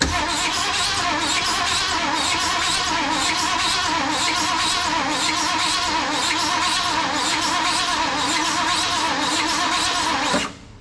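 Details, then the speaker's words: 1974 Ford Bronco, not started in over 16 years: cranks steadily about four beats/s for ten seconds, never catches; fuel pump can't deliver fuel, needs a working pump. "I think we're going to be able to pull fuel from both tanks once we get a working fuel pump in this Bronco."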